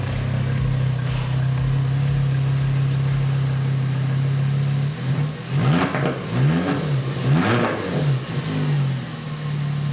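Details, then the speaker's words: 2007 VW Jetta MK5 2.5L five-cylinder, about 200,000 miles: rust has effectively straight-piped the exhaust, dumping right after the downpipe and catalytic converter. A loud, raw drone at idle, then deep booming, unmuffled revs. Exhaust leak. "And that is what a straight-piped 2007 Jetta sounds like. Yeah, you heard me right. No, we didn't do it intentionally."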